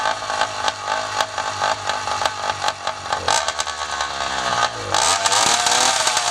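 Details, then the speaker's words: 80cc Walmart motorized bicycle two-stroke after rebuild, first run: buzzes and crackles through several blips, then revs up cleanly and holds; runs fine. "oh all right sounds like it's iing good sounds like it's hling"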